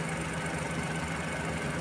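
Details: Suzuki minivan with D63 engine, spark plugs and ignition coil replaced and injector tested fine: rough, uneven idle with a stumbling throb and knocking shake, body vibrating with A/C on. Intermittent check engine light and cylinder 2 misfire, fixed by correcting valve clearance.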